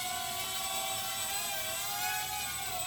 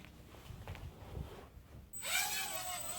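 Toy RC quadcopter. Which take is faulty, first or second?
second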